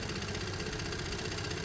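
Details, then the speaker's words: Small motorcycle engine at warm idle after about 12 minutes of running and riding: a fast, light, even tappety ticking over the idle. Valves probably need adjusting, though the owner doesn't mind it. "still sounds a bit ta but I don't mind it being a bit ta they probably need adjusting"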